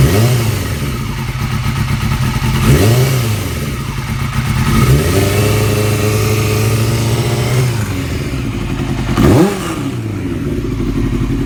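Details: 2002 Yamaha R6 four-cylinder idling with three quick revs, a light ticking from the cam area under the exhaust note. It was present before purchase; cam tensioner already swapped for an APE manual one. Owner hopes it is not the valves; cause unconfirmed.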